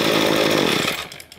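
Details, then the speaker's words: Two-stroke string trimmer diaphragm carburetor after GumBuster cleaning, main fuel screw turned half a turn lean: sharp snarl that peaks and tails off quickly, hesitating to accelerate because the main mixture is too lean. "you can hear the engine how he hesitates to accelerate because it's too lean"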